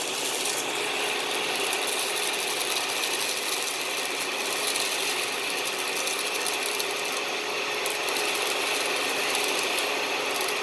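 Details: 2013 Dyson DC41 Animal Complete upright vacuum, used and under warranty: steady raspy whir with a fast uneven ratcheting chatter, about three or four a second, over the motor; the brush roll noise has returned and the owner plans to clean the brush roll again.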